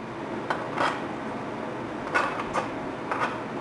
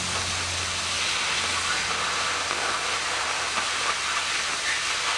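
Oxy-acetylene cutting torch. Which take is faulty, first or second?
second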